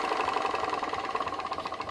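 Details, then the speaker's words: PM Research glass Stirling engine driving a homemade Baker fan; engine slows noticeably when the fan load is dropped on. Quick, regular ticking pulse runs steadily, easing slightly under load; normal running under load. "straight away the engine slows down now I've really never seen a sternum engine um going that slower and um working it's it's actually working it's working to turn that Baker fan sounds great sounds like an engine under load working"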